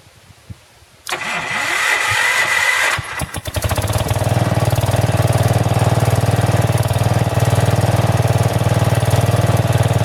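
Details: About 35-year-old log splitter with swapped-in 12HP engine: cranks, catches and settles to a steady single-cylinder thump with slightly wavering speed; governor hunting, owner suspects the carburetor needs adjustment.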